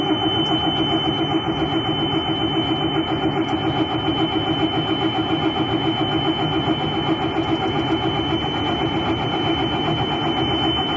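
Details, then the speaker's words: Diesel bus/ambulance with manual gearbox, no-start: steady starter churn about two and a half compression beats a second for ten seconds, never catching; starter has overheat cutoff. "I could have kept going this particular starter does have an overheat protection on it so if you crank it too long it'll actually cut off"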